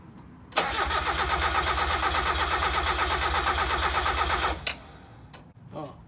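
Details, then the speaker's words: Mazda Miata engine that overheated 6 years ago and sat long, compression test before head gasket replacement: about four seconds of steady, even cranking pulses near three per second, gauge reaching about 170 psi; healthy compression. "oh we got a better reading this time 160 170 170 oh i'm gonna put down it's somewhere in 170."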